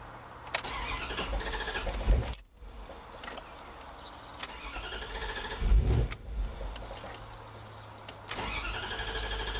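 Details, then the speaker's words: Woodgas-powered vehicle started with no gasoline: several cranking bursts, then the engine catches around six seconds and settles into a steady low idle; afterward run rich, hopper gauge pulling about 15 inches. "there we go she's running she was running"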